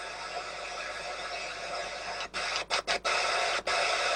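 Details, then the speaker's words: Sony ICF-2001 radio receiving nothing but a steady hiss with brief dropouts, no station audio at any tuning, even on a known station, while the signal meter reads full strength; the audio amplifier seems to work. Cause not yet found. "just picking up nothing but static no matter what I do and even tune in a station that's saying qy9 three nothing"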